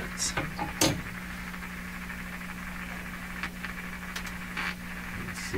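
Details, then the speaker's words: Hallicrafters SX-122 receiver tuned to 4 MHz during signal tracing, output at the far end after all stages: steady buzzing hum with crackles and pops instead of clean audio; suspected badly biased tube or missing bias or B+. "that really sounds like I terribly biased tube or tube tube missing its bias or missing its B+"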